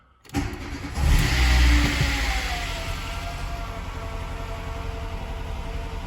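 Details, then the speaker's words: 1988 VW Golf 2 with 1.3 NZ petrol engine, run briefly without coolant after timing belt and water pump change, alternator belt off: quick crank, clean catch, short rev, smooth even idle; no smoke, no knocking. "sounds good to me no smoke no knocking okay brilliant"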